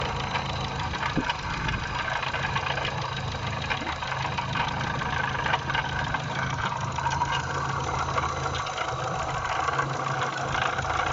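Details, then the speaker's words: Idling petrol engine: steady low rumble with light knocking caused by a worn water pump with bearing play; the pump, tensioner and idler rollers, and belt were replaced. "и так что же шумело в нашем моторе можете нажать на паузу и угадать"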